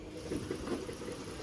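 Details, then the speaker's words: Idling engine, foot on brake, with a dull, regular knock about five times a second that sounds like rod knock but comes from a broken flywheel. "That will fool you. That is not bottom end rod knock or anything like that, guys."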